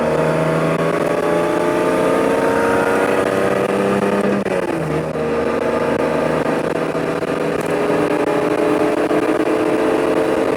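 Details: Lexus IS300 after CD009 manual swap from G35, first drive: engine pulling up through revs with raspy, uneven exhaust note under load; exhaust not fully connected, leaking badly; separate high-rpm rattle possibly transmission or trans tunnel contact.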